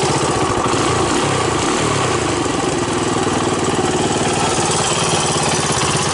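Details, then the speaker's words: 1983 Honda ATC200X single-cylinder after carburetor cleaning and setting the idle needle one turn out: starts on the third kick and idles steady and even with a regular low thump, no obvious stumble. "okay so it started up the third kick which is good the idling away"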